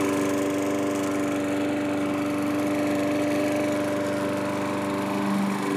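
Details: Curb-found self-propelled Craftsman mower, single-cylinder, after carburetor cleaning and reinstall; steady, clean hum with no surging or hunting: normal running.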